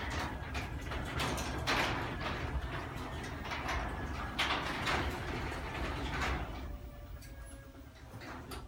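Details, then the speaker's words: LiftMaster 1/2 horsepower chain-drive garage door opener: soft, even hum with light regular ticking as the door travels, as quiet as a belt drive; normal operation. "it like a belt drive opener now open it back up whoo it's verily quiet as you can see to one like hover opener it sounds like a belt drive opener but it's a chain really nice garage door opener"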